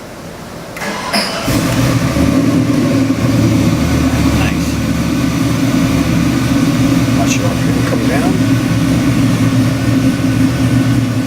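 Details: LS3 427ci EFI stroker V8, fresh, for a 1956 Chevy: starter catch then strong even rumble, no ticking or knocking; normal start and idle.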